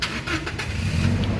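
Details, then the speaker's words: 2018 Toyota Kijang Innova Reborn 2.0 G manual, about 97,000 km, started in neutral with clutch pressed: short, crisp crank catching almost at once and settling to steady idle; clean healthy start, no sign of weak battery or starter. "Pada saat kita starter mobil, pastikan bahwa nyalanya itu jreng. Karena apa? Kalau dia nyalanya tersendat, berarti ada kemungkinan permasalahannya bisa jadi di akinya sudah swak atau dinamo starternya yang bermasalah, jadi perlu diservis."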